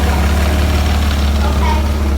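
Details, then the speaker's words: 1994 Ford Probe GT V6 after fitting an MX-6 throttle body and IAC valve and adjusting the idle screw: a smooth, even idle with no surging and no fast idle. A clogged idle screw may have been the real cause. "and here's the end result no more surging no more fast idle"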